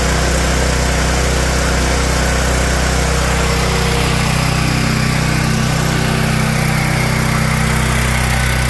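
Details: Generator that had a surging idle, after its clogged carburetor idle jet was cleaned (clogging blamed on ethanol fuel): the small engine holds a smooth, even idle with no rise and fall in speed. Normal idle, fixed.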